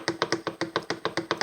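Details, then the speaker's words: Breville BCG800 Smart Grinder, a few years old, top burr removed: lower burr lifted and jiggled by hand gives sharp dry clicks about seven a second; about 2 mm vertical play, less lateral play. "jiggle it around I'd say there's probably about two millimeters of play in that vertical play um lateral play is less but you can still hear it"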